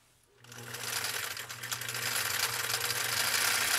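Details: Husqvarna Viking CL21A sewing machine, clutch now engaged, sewing a zigzag on nylon webbing: even quick chatter about four stitches a second, no catching or labouring; runs smooth and healthy.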